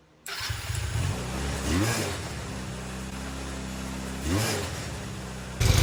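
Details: Restored go-kart engine after fixing no-spark by shortening wiring: catches almost at once, blips up twice, settles into a steady running note. Normal start.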